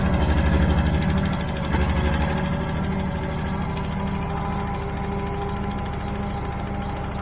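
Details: Old Caterpillar D6 dozer diesel started after fuel was found to be the problem: big engine chugging evenly at about three beats a second, no misses or knocks; normal running.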